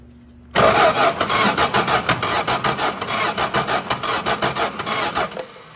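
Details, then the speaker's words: 1961 Valiant six-cylinder sitting over 30 years, points sanded, fuel line disconnected from the tank, spark tester fitted: starter cranks about four even compression beats a second for five seconds without firing; crank no start, cause unconfirmed. "crank it over and see if that looks any better maybe turn the key on try it again with the key on"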